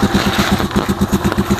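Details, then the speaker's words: Rusi Chariot 175 single-cylinder idling with a thin tinny can-like rattle on each exhaust pulse; cause is a loose connector joining the silencer to the exhaust pipe. "Honestly dito po sa tambutso yyan kapag tumunog po yung parang lata sa tambutso"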